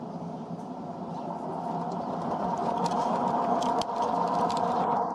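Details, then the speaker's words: Washing machine loaded with heavy items on high-speed spin: steady hum and light rattling from the rear; drum bearings worn but not fully, to be replaced. "bắt đầu kêu lạch cạch và vo ve. Bạn có thể nghe thấy tiếng ồn của ổ bi ở phần phía sau. Trong máy này, các ổ bi vẫn chưa bị mòn hoàn toàn."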